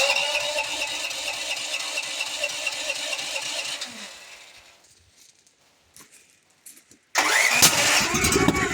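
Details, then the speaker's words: Duromax generator after repeated backfires and a solenoid that sometimes sticks: about four seconds of uneven rapid cranking chugs dying to silence, never catching; red flashing on start indicator, cranks without starting, cause unconfirmed. "Okay, I think it's given up. It's going to be a red flashing on the start thing. Red flashing."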